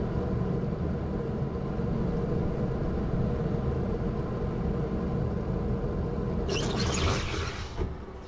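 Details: Audi 80 B3 on a jack with the rear wheel spun by hand: a low steady droning hum with an uneven throb, and the wheel has vertical play; worn rear hub bearing that needs replacing.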